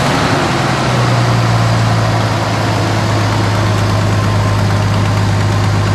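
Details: 1973 Dodge Dart Swinger, 225 slant six, first start after 29 years locked up: steady, even low rumble with no knocks or misses, fuel fed to the carburetor; holds a smooth, healthy idle.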